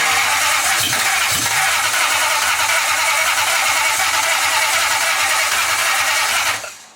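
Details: Nissan 240SX S14 with 1UZ V8 swap: starter spins the engine steadily for several seconds without catching, then stops; no start, with starter fluid being tried.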